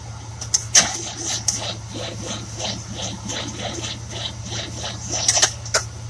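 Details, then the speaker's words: 1966 Buick Riviera GS 425 Nailhead, plugs and wires reinstalled; starter rebuilt, spark verified, timing checked, battery-to-starter cable and ground cable replaced: cranks slowly in a steady, labored rhythm under a constant hum and never fires; slow crank, no start. "so i'm having a problem i'm not getting a fast enough turnover when i'm starting the car it's a 66 buick"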